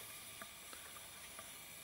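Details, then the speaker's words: Push lawn mower that spat oil out the carburetor and died while mowing, during an oil change. The hot oil drains with a soft, steady sizzle and scattered light pops, and it smokes. "It's smoking. Can you guys hear the popping? I have never seen that before."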